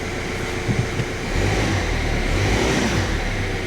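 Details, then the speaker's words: Stolen-recovered Kia Rio bought at auction with no keys, running on a newly coded key on a freezing day: settles to a steady hum, then revs smoothly and evenly with no knocks or rattles; sounds brand new and healthy. "all right sounds like it's brand new it sounds like it's brand new this thing what a cracking little car"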